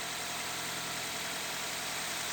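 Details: Car at idle after baby powder was sprinkled on both accessory belts to cure a squeal ahead of winter: a steady, even idle hiss and hum with no belt squeal or chirp left.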